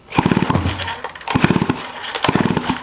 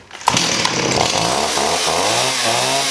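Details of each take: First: 1985 Stihl 028 AV Super Electronic Quickstop chainsaw, unrun for about 10–15 years: three rope pulls give rattling compression pulses with no firing; spark test shows zero spark, on-off switch suspected. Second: 1985 Stihl 028 AV Super Electronic Quickstop chainsaw, sitting about 10-15 years, after setting low-speed carb screw out 1¼ turns (was ½) and raising idle: fires, warbles, then holds crisp steady high rev; now runs cleanly.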